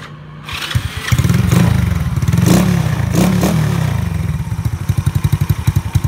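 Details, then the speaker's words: Elegant 54zz after all gearbox bearings were replaced, engine started and idling, not in gear: catches and settles into an even quick low thump, no knocks or rattles; engine healthy. "Máy rất là ấm, máy là ok."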